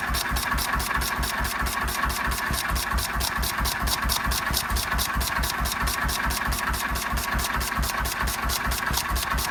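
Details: 1926/7 National 5V petrol-paraffin single-cylinder engine after new piston rings, running on petrol off load with Cox Atmos carburettor nearly shut: steady, even beat about 136 per minute, no knocks or misses; running cleanly.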